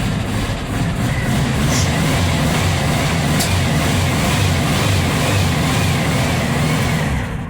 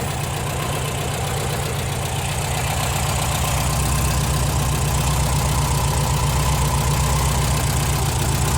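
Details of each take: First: Cold VW Type 4 engine (air-cooled) just started after valve guide work, burning about a quart of oil per 200 miles before; steady lumpy low idle with soft pops back through the throttle/carburetor because the engine is cold. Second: Air-cooled VW Type 4 engine after valve guide replacement, now warm, idling steady and even at about four beats a second with no ticking or clatter; valvetrain healthy, though owner later notes it runs lean and sputters.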